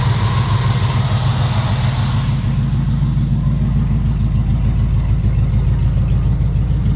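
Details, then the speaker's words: Small-block Chevy truck with a big cam, after a Holley carburetor swap, vacuum-leak fix and timing correction: a steady, even low burble that settles from a slightly high idle into a smooth beat. It sounds much happier; normal idle. "Oh, it sounds so much [Music] happier. What do you think? And a little high. Just a tad bit high."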